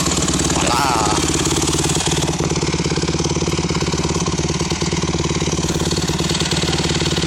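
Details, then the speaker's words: Honda CRF150R single-cylinder dirt bike freshly rebuilt, idling after startup with a crisp, even putter, no rattles or stumbles; healthy normal idle. "I just fresh rebuild and it runs like a champ I ain't gonna do a coach start because it's I've already started it man"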